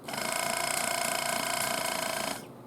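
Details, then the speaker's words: Good spare air-ride compressor off a 2008 Cadillac Escalade, bench-tested on a 12 V 6 A battery charger: quick steady buzzing pump note for about two seconds, even and strong, making pressure, then stops cleanly; normal operation. "keep in mind this is a good compressor so what you hear ought to be what your compressor does"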